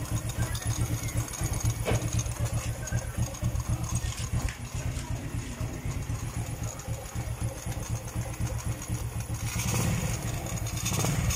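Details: Euro Sport R125 motorcycle after exhaust gasket/O-ring replacement for noise and backfire: small single at a steady, even idle of about four beats a second, no backfire or exhaust chuffing; normal idle.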